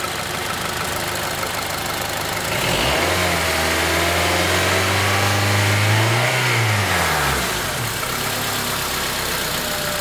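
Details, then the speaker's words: 2004 Honda Element 2.4L K-series engine after valve adjustment, warmed to operating temperature: steady even idle rises smoothly into a clean rev and settles back, slightly louder valvetrain but smooth, no ticking or knocking; sounds healthy. "to me that sounds healthy"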